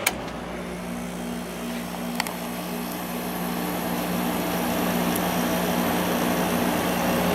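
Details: Older window air conditioner in an amp-draw test, likely the 6300 BTU Emerson Quiet Kool with Matsushita compressor, on high. Steady even hum with smooth fan rush, no rattles or knocks. Normal running, about 4.95 A and 519 W.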